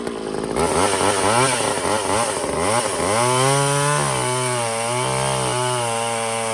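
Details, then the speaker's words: Old Craftsman two-stroke chainsaw after Walbro carb rebuild, new fuel lines, fuel filter and air filter; revs crisply then holds a strong steady note cutting wood without bogging; running normally under load. "Cool, so I like the way that sounds."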